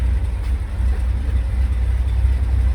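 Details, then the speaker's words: Cammed GMC Sierra still on factory exhaust with its large muffler and resonator, recorded outside at idle; deep heavy rumble with an uneven loping rhythm and slight shake. Lopey cammed idle. "nice and quiet engine it desperately needs a cat back you can hear the [Music] cam cuz it's good it still has the big water tank Muffler there's a resonator right there you can tell it's camed"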